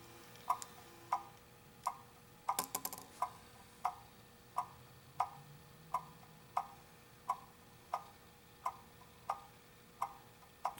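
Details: Antique pendulum clock, case set straight and level on the wall during beat adjustment: crisp, evenly spaced ticks about 44 per minute in a quiet room; beat sounds balanced, clock in beat, though still slightly off.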